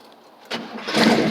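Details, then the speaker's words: Warm small-block Chevy V8 with headers, just fitted with a fuel pressure regulator to fix a flooding carburetor; brief crank that catches quickly and builds into a firm running note with no leaks; normal start. "It's already warm, so it should go ahead and crank on up."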